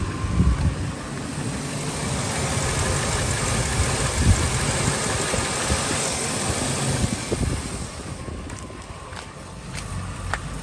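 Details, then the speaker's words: Ford F-350 5.4 on cold start, no service engine light: idle wavers up and down instead of holding an even beat, with some clatter, trying to cut out; a broken part is then found. "um it's only going to get worse i'll try to see if we can get something [Music] out why i don't suffer just at all like it tries to cut out but it catches back idle every bracket bro"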